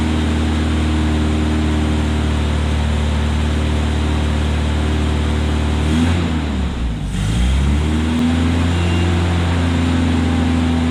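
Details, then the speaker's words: 1972 Opel GT revived after decades sitting, carburetor choke possibly weak, just started: low drone sags and stumbles then recovers; vacuum leaks found at the carburetor base gasket. "check for vacuum leavs check for vacuum Le Grandma y up gasket look J check for more off we a bunch of vacuum leaks yet isn't that funny"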